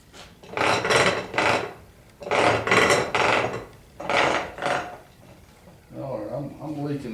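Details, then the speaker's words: 1985 Chevy NP208 transfer case during teardown, in 4-wheel drive, turned slowly by hand: dry rasping grind about every second, rough internal gear contact; case also leaking gear oil. "Hear that? It don't sound good, does it?"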